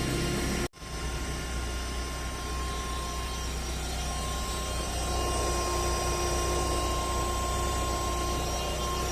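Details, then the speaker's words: Fiat 1.4 Fire engine at idle: steady high-pitched whine at constant pitch, sounding like a bad bearing or steering box; belts ruled out, caused by a vibrating Metal Leve oil filter. "Meu carro tá com barulho aqui. O Font 1.4 motor fire tá com esse barulho aqui estrigrante, parecendo de rolamento zoado, de caixa de direção."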